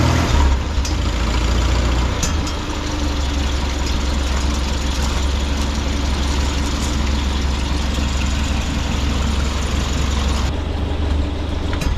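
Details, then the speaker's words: 1952 Farmall Super C tractor idling the next day after a no-choke start: low, even chuffing idle with a steady rhythm and no misfires, much better than before; normal idle. "we're going to start this with no choke just to make sure everything's still good man that sounds so much better than it did before"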